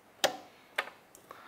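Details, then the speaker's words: Motorcycle/ATV/UTV starter solenoid bench-tested: a single crisp click each time it's energized, then a fainter tick. The contacts read about 0.5 ohm, so it is a good solenoid. "predicted this is a good starter solenoid"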